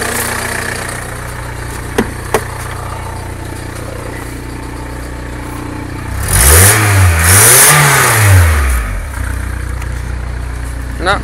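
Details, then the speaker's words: VW Caddy diesel at 189 km, cold started after sitting for half a year: after glow plug preheat it fired right up, idles steadily, then revs cleanly through two quick blips and settles back. "Wow no way no way so this four-eyes half a load of months he just fired right up good well now that serious surprise"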